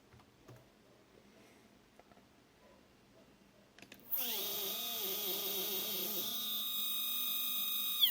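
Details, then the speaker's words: Two Z-axis steppers wired in parallel on one Duet driver, current raised for two motors, acceleration 120, feed rate 3000: a shrill, warbling whine with a coarse buzz. Motors are stalling and vibrating since an earlier stall, cause unknown. "so for some reason when the two motors are connected in parallel with the adjusted current for the two motors there are stalling and the is very weird"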